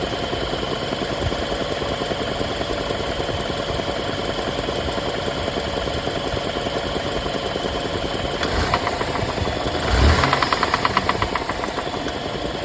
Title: BMW n20 rod knock